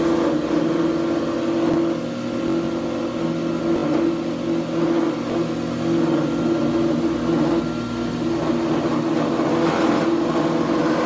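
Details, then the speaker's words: Grizzly G0634XP planer jointer, bought a couple months ago, running: steady mid-pitched hum with rough, uneven note flaring near the end; residue on the guard, owner suspects a bearing; belts and chains checked fine. "when we turn it on it's making a weird noise coming coming from right here and on the guard there's this residue it's coming off that I think it's it's got something I think it's got something to do with a bearing I'm not too sure"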